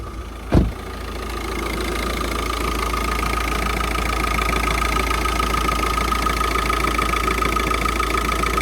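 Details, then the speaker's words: VW Jetta diesel with throttle actuator error code and loud clicking after shutoff, code just erased: steady idle with uneven clattery rattle and faint constant tone; rough rattly idle. "Sounds like a rattly diesel still."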